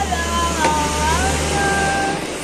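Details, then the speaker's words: Honda Vario 125 rear wheel spun by hand after its bearings were disassembled, greased, cleaned and reassembled. It now turns smooth with an even whir and no knocking, curing the rough noise heard when pushed with the engine off. "rodanya diputar sudah halus, nggak ada bunyi kosong kosong kosong kosong."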